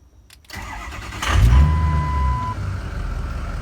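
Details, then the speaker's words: Cold start (84°F) of a Ford F-550 Lariat after fitting a full set of injectors and a new IPR valve, suspected cause of hot stalling/no-start; short crank, catches quickly and settles into a steady, even idle, a normal cold start. "All right, fires up, sounds actually like a full set of injections we just put in. Fired up pretty quick too."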